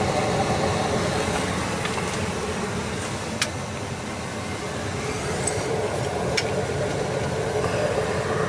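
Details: Newly installed Ruud 80+ 50,000 BTU gas furnace running after setup, gas pressure set slightly high to lower oxygen, supply about 132°F, roughly 60° temperature split, not overfired: steady even burner and blower roar, no rumble or squeal; normal.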